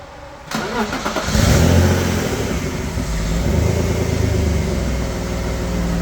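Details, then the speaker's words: BMW E36 after a tune-up with new spark plugs, replacing plugs that were causing no power and a heavy misfire (cylinder six plug the worst): engine catches and revs up smoothly with no hesitation or stumble; normal revving. "okay it does not hesitate as it revs up like I was doing it before so that's a perfectly good indication that definitely those spark plugs were to go"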